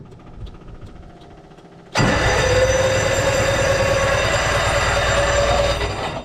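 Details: 1929 Bugatti cranked in neutral with the magneto off: loud steady starter whir with a high whining squeal and rough grinding as the starter gear catches on worn flywheel ring-gear teeth.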